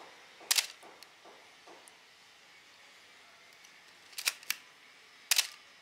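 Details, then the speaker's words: Camera shutter after oiling to cure a squeak: crisp, dry shutter clicks with faint handling ticks, no squeak; normal operation. "Now you can listen to the sound here. That's the difference. This is after oiling the camera."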